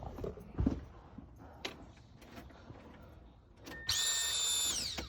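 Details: 1997 Subaru Outback, 230k miles, after replacing a split fuel line at the pump: high steady whine about a second then winding down as pressure builds; pump primes normally and engine then runs.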